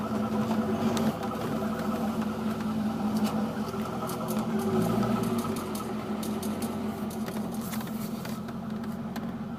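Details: C5 Corvette: light, fairly quick clicking, about three a second, over a steady engine hum, heard only when the steering wheel is turned to the right; cause undiagnosed.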